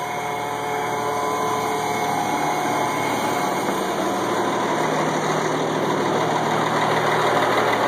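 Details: 1986 AM General M35A2C (7,331 miles, 260 hours) idling cold at 26 degrees after about 3 months unstarted, before warm-up; steady, even diesel rumble with no knocks or misses; a normal cold idle.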